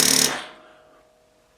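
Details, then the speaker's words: Yamaha Grizzly 450 ATV with 7-year-old battery still showing 12–13 V: starter button gives a short burst of rapid chattering solenoid clicks, no cranking; owner suspects weak battery can't hold the solenoid in, not the solenoid itself. "I'm thinking that the battery's not powerful enough to keep that solenoid locked in."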